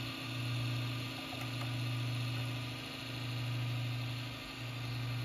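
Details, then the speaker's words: PC power supply fan on startup, unit about to be replaced; low droning hum surging and fading about every second and a half, awful sound; noisy failing power supply fan. "yeah not sure if you guys can hear that but that fan just made an awful sound"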